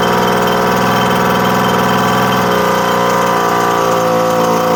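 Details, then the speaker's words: 1979 Suzuki JR50 two-stroke minibike, long stored, first run after work, choke on and off, carburetor still loose, oil injector apparently working: loud buzzy, uneven hunting beat that smooths slightly midway; running but clearly unhappy and rough, cause unconfirmed. "So, she clearly is uh not exactly happy, but uh running I think that oil injector's working, too."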